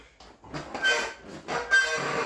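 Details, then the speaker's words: Amstaff leg curl/extension combo during reps: two rasping squeak-and-creak bursts, one per rep, from the bottom foam pad turning directly on a bare steel shaft with no roller, so it can't be lubricated. "the pad at the bottom is not on a roller it's just on a steel shaft so that's where that squeaking every hear that squeaking and that creaking and it's just a foam pad inside so you can't really lubricate it"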